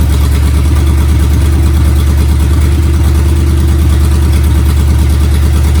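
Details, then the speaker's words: Freshly rebuilt Ford flathead V8, first start: low steady even rumble at a fast idle, no knocks or misses, until it runs itself dry. Normal running. "And there it ran itself dry, but it runs. Yay."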